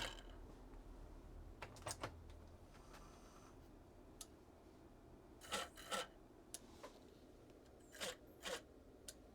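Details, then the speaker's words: Sharp DX-150E CD player, circa 1988, lid off, after the faulty disc-drop mechanism was sorted: in a quiet room, short paired ticks and whirs come every second or two as the lens hunts for the disc. Normal focus search, indicating a good optical block. "yep that's even trying to focus that's good that's good that's good that tells me that there is a good Optical block on there"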